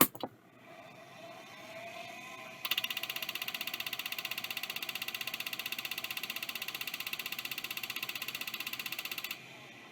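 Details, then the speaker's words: Maxtor XT hard drive (badged Storage Dimensions) on power-up: rapid steady ticking about three per second over high hiss as it spins up; mechanically failing, broken part suspected. "that's a noise I don't like that noise we're going to stop with this one this one might have a broken wax ring in it because that actually did start to spin"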